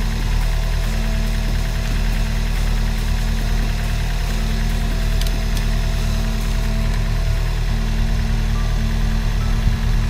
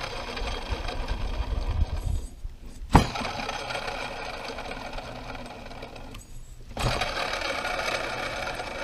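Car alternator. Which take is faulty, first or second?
second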